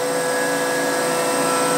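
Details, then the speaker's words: Longbeach 1/8 inch flat end mill milling an injection mold section for a Morgan G-100T press: steady high-pitched screech over spindle whine throughout the cut, end mill chatter. "is using the Longbeach 1/8 inch flat end mill and if you listen you can hear these screeching"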